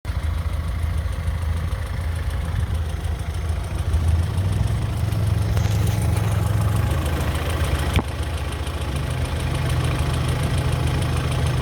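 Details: BMW E46 318i at idle with a faint irregular tick of about three a second that remains even after the lifters were replaced; the source is still unknown.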